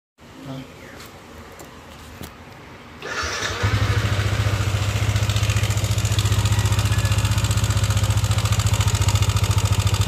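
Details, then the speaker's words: Yamaha NMAX version 1 scooter engine starting after about three seconds, then idling with steady rough ticking clatter, noisy and coarse. "So issue nito may lagatik maingay malaman parang magaspang."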